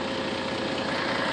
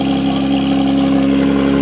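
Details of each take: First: After repairing a broken exhaust pipe at the catalytic converter/resonator with heat wrap, leak checked with soapy water showing no bubbles: steady, even idle with smooth rush and no puffing or ticking from a leak; exhaust sounds sealed. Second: Loud, raspy, blatting exhaust at idle, swelling and dropping with each throttle blip; pipe broken at the resonator just after the catalytic converter, leaking exhaust before heat-wrap repair.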